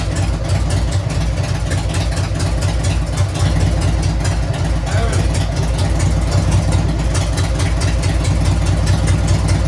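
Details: Harley-Davidson Sportster 883 converted to 1200 with Wiseco pistons, rings and cylinders, first start after rebuild during heat cycle, 79 degrees, 105 on the pipe: deep, even loping V-twin idle, no ticks or knocks; sounds good.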